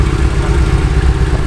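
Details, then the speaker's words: Porsche 911 SC Targa, parked about eight years, not running on all cylinders, rough idle, cutting out, poor emissions: low, lumpy idle with uneven beat and odd stumble, hiccup at start; rough running. "it's got a little bit of a hiccup yeah I can hear it cuz when you first start it"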